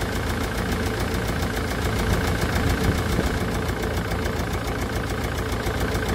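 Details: Land Rover Defender Puma 2.4 TDCi after rebuild with new wiring loom and oil pump, running during coolant bleed on a cold day: steady diesel idle with even, light clatter and no irregular knocks; healthy-sounding engine.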